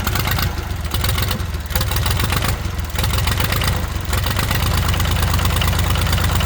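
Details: International 285 4x4 diesel tractor (title says 284), revived after sitting with ATF in cylinders: catches and settles into a steady, somewhat uneven low chug about four beats a second, running on its own; runs pretty good, smoking from ATF.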